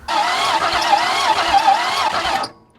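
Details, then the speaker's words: 1961 Ford Falcon, abandoned 15 years, spark confirmed, gasoline and brake cleaner added: starter spins engine at about four even beats a second but it never catches; low compression (about 60) suspected as cause of no start. "well spark is not our problem is it fuel or compression let's hope it's not compression well that's pretty pathetic 60 should be enough to run just not very well"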